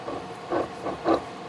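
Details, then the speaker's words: 1993 Sunbird boat, OMC Cobra sterndrive, water found in the bellows: dry gritty rasping in uneven bursts as the shaft, pulled out of the coupler, is spun by hand; worn gimbal bearing with rough spots and a wobbling shaft. "Not only does it sound worn, you may be able to see the shaft actually is wobbling."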